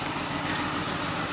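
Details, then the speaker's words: 2002 BMW 525i at idle, check-engine light on: lumpy, rough, uneven beat with the odd stumble; scanner shows misfire on cylinders 2 and 4, suspected failed ignition coils. "bastante fuerte el sono se oye la falla no sé si lo Oigan pero está fallando la falla"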